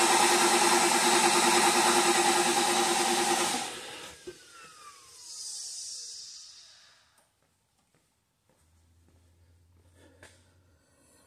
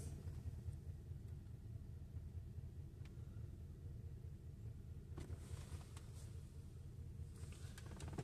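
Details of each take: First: 2007 Mercedes S550 V8 chasing a misfire, cranking with coils and injector 1 unplugged for relative compression testing: steady even cranking beat, no dead cylinder; cylinder 8 matches the others. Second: 2007 Mercedes S550 with a misfire chasing despite replaced parts: low, uneven idle that rises and sags and shakes as the idle surges, with the number eight cylinder injector shut off and misfire code stored; misfire from injector shut off.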